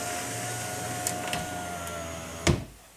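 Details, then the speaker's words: 2005 Chrysler Town & Country 3.8L, driver's front power window after replacing the regulator and motor: a smooth motor hum with a faint even whine, then a soft thunk as the glass seats; much quieter going down, still slightly slow going up. "seems to work"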